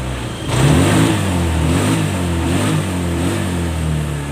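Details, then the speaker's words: Honda Scoopy FI scooter after full service and CVT upgrade for delayed throttle and weak pull: picks up cleanly on each throttle twist, revs rise and fall smoothly with no hesitation; response restored. "Oke. Respon sudah guys ya. Oke. Bener kan? Nah, motor ini sudah respon kembali guys ya."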